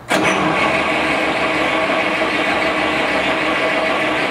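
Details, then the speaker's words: 1937 Buick limousine, restored in the 1980s and stored, reportedly last run in the 1980s, 6-volt battery, first start attempt: long steady rough cranking, a couple of brief shuffles but no firing; crank no start, spark to be checked next. "did you hear that thing it wanted to go right there i'll tell you what we're gonna do we're gonna do spark yeah you heard it start to shuffle a couple times it wouldn't do that"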